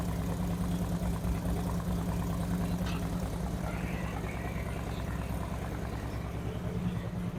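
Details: After installing Screamin' Eagle 255 cams, new inner cam bearings and adjusted pushrods on a 2008 Harley-Davidson Street Glide, second startup: steady, even V-twin idle with a regular thump, crisper and faster rev-ups, no ticks, bangs or abnormal noises; normal idle.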